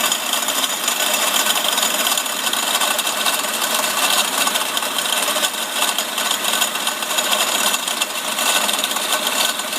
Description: Common problem in the cl500, noise part was replaced by new pump but problem still persists. Sounds like a bearing is broke or lose.